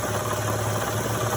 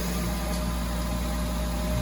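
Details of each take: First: Honda Odyssey V6 idling after an engine reinstall: low steady hum with a faint uneven knock from below. A Dayco automatic timing belt tensioner failed within 3,000–4,000 miles; to be replaced with a modified manual tensioner. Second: Honda Odyssey at idle after the failed Dayco timing belt tensioner was swapped for a modified adjustable one; the earlier knocking is gone and it gives a steady, even low hum.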